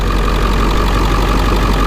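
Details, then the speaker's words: Ford 7.3 Powerstroke diesel with brand-new injectors, just started: even, steady diesel clatter at idle with no misses or stumbles, smooth unchanging rhythm. Normal idle, healthy injectors. "so I'm going to show you what it's supposed to start up like this is my best example guys of what it should sound like"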